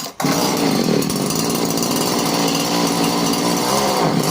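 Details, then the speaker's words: 38cc Alpina/Alko Champion chainsaw after carb clean and broken tank fuel pipes replaced, high and low screws set 1 1/4 turns out, bit of choke: steady high-speed two-stroke buzz, no surging; running smoothly. "That sounds alright. There we go. Alright, so back and running again, which is great because it's a really nice saw to use."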